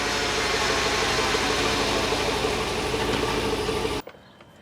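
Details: GMT800 Chevrolet Tahoe on lifts, engine running in Drive: steady drivetrain drone with a faint constant mid-pitched whine from the rear end. Differential fluid was checked and showed no metal; source unconfirmed.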